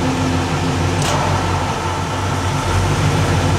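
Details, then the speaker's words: LS-swapped GM G-body with factory air conditioning: steady low V8 idle at about 780–800 rpm sags to about 620 rpm when the AC compressor engages on max, then recovers; a normal load dip. "Y'all see that? I think it went down to like five something. Let me do it again. But you can hear it too. You can hear the car."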